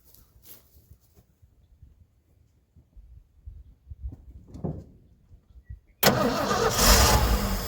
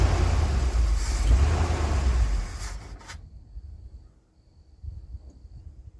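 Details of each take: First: 1980 Ford ramp truck, 351M V8, sat about 25 years: slow cranking, then it catches and roars unevenly for seconds on brake-clean starting fluid with choke. Oil pressure reached 70 and it smokes; owner suspects rings stuck from sitting. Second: 1980 ramp truck, 351M V8, running after ~25 years sitting: deep, even rumble for a couple of seconds before dropping away; no knocking or ticking, engine sounds healthy.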